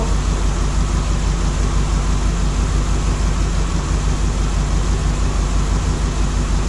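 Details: LS3 V8 in a 1955 Nomad, first start since being pulled from another car, still cold: deep idle with a slightly uneven loping pulse about three per second, one cylinder not firing; owner suspects something unconnected, and the miss later clears.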